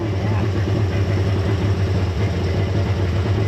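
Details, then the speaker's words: 1995 Mercury 200hp XR6 Blackmax two-stroke outboard after timing adjustment, charging at about 14 V; deep, even, steady burble with no misses or knocks, sounding strong and healthy. "I mean that sounds pretty mean to me"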